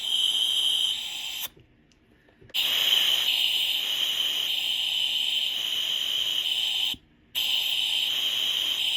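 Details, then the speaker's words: Rolls-Royce Silver Cloud power steering box during reassembly with new seals, air-tested: steady high hiss that stops and restarts as the spool valve is actuated, flow switching from bottom ram port to top; valve actuation working, neutral slightly biased toward bottom ram. "Now you can hear it coming out the top. There you go. But the neutral position definitely has more flow from the bottom ram than it does from the top, even though there is still some there."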